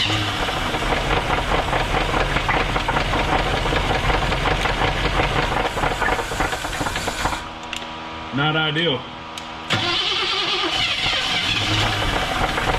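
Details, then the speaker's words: 1978 Nova Custom, 305 V8, abandoned 33 years and run briefly on a fresh battery. It runs rough with a steady, deep knock over the idle, suspected bottom-end trouble, though there is a slight chance the noise relates to the removed driveshaft. "we're going to try it again put a fresh battery in so hopefully we can run it for a couple seconds and it it's it's knocking it's not good but let's let's at least hear"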